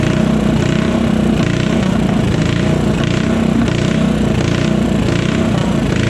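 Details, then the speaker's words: Modified Honda GX160 go-kart engine, first run after rebuild: fast steady buzz held at high revs, no misses or knocks, well above the stock ~3500 rpm setting; healthy. "So it definitely woke it up some. You can definitely hear how high it'll rev now, which is pretty cool. So this thing revs way above whatever that 3500 or stock setting was with the old governor."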